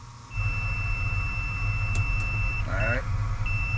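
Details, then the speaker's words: Combine with fault code, engine idling: continuity tester between cab fuse and ground gives steady high beep with every cab harness unplugged; short to ground somewhere in circuit. "you hear that we got a short somewhere here"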